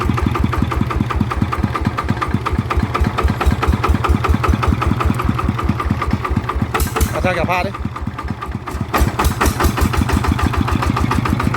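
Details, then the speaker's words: Type 160 single-cylinder diesel that was burning oil, after rebuild/repair: even, steady crisp thump with no knocks or misses; engine running normally with good power. "อ่ะก็ปกติดีนะครับก็เดี๋ยวให้พี่เขไปลองใช้งานดูนะครับก็เดี๋ยวไม่น่าจะมีอะไรแล้วนะครับก็กำลงกำลังต้นก็โอเคนะครับปกติทุกอย่างนะครับ"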